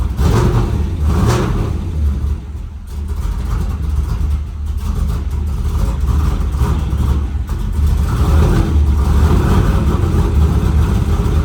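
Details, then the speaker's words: F-body street car V8 just fitted with Texas Speed Magic Stick 4 camshaft, air cleaner off, first start: deep choppy loping rumble as it's blipped and revved; sounds healthy and much different than before. "It sounds killer. I think I'm more impressed with the fact that it started up and ran, but it does sound a little choppy."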